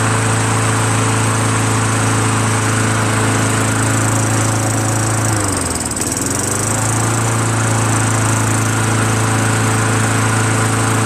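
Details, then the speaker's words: Craftsman Eager 1 22" self-propelled mower, Tecumseh 5.5HP engine, after carburetor rebuilt from five parts carburetors plus new needle, seat and gaskets and governor adjusted back slightly: steady drone, brief dip mid-clip, then recovers to smooth run; normal running. "I adjusted the governor. Took it back just a smidgen. And now it starts up really well. And it runs really well."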